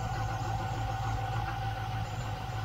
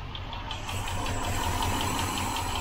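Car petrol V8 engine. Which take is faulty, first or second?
second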